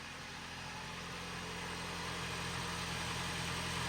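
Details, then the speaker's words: 2011 Jeep Patriot 2.4 L with T355 manual transmission, suspected input/countershaft bearing noise: smooth even idle with steady low hum, no whine, grind or rattle; normal while warming up. "just the sound of that engine purring away all right I'm going to let it warm up and and check back with you in just a second"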